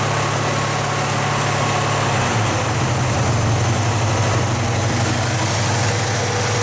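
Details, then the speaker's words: 1970 Pontiac LeMans with a 455 Pontiac V8 after its failed, leaking fuel pump was fixed: deep, steady V8 burble at low idle, even beats, no stumbling or tapping; engine healthy, no fuel leaks seen. "we've got idle well it's at least breathing again i don't see any fuel leaks that's good news"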